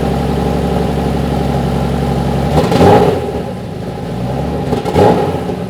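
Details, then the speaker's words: Turbo-conversion BMW M50/M52 straight-six after new high-output coils and a 4-bar MAP sensor, fuel pressure set to 3.5 bar: first start; a fast, slightly uneven idle around 1300 rpm with two throttle blips, a high idle. "Yeah the idle is totally different. it was 1300 RPM first. Yeah the idle was quite high."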